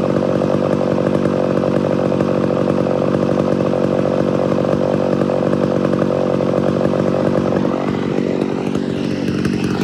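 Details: Homelite Super XL-925 82cc vintage two-stroke chainsaw, governor blocked off: steady high buzz breaking into burbling four-stroke off the cut; tuned as intended, not four-stroking in a good cut.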